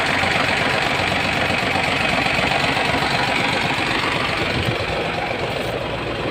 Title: Hino 700 E13C Low Power,Rough Idling,Hard starting,How to Fix? Injector#5 Malfunction